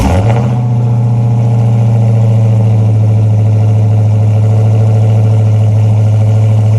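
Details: Dodge Hellcat at idle: a loud, deep, steady idle with a fast, even ticking clatter riding over it. Something is making an abnormal noise at idle; the cause is not pinned down.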